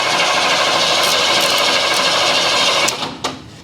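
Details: Ford Bullnose F150, new battery, first start attempt without jump pack: harsh rasping grind with rapid uneven chatter for about three seconds, then cuts out; owner thinks a wire was mixed up, cause unconfirmed.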